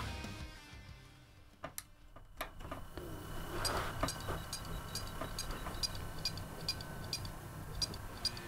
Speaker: That is probably our first failure. Yes, that is now dead. As you can hear, it makes a weird chirping noise when I plug it in to try and turn it on.